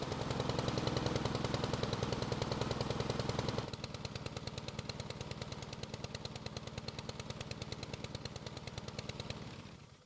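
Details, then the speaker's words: Husqvarna lawn mower single-cylinder engine on test start after carb refit: chugs fast and rough, sputters worse as it warms, slows and dies; black smoke, choke first suspected, but the carb throttle plate was stuck. "there's something wrong when it started it seemed to run fine but then it started to sputter and as time went by and as the engine got warmer it started to sputter more while the engine speed started to get slower"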